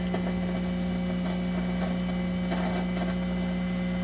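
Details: 1941 Rauland tube PA amplifier, interstage transformer driving the 6L6s tested on bench with Heathkit supply: steady mains hum with irregular crackling and sputtering that changes with supply voltage; faulty interstage transformer, to be replaced.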